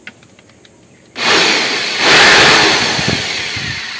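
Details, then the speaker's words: Bosch GBL550 blower, 10–15 years old, after maintenance and possibly oiling the noisy bearing: quiet start, then loud steady air rush over high even motor whir; bearing noise gone or drowned by airflow, runs clean. "Ba, nawala yung ingay ng bearing. Munti. Natalo ng lakas ng hangin yung ingay ng bearing."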